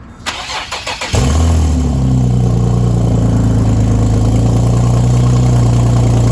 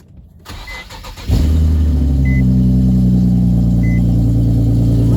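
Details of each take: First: Infiniti G37 cranked and started cold: loud idle with rapid rough puffing under the rumble from a really bad exhaust leak; owner plans to fix it with gasket maker. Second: Infiniti G37 first cold start the day after repairing a bad exhaust leak: catches after a short crank and settles into smooth, steady idle with no ticking or puffing; leak fixed.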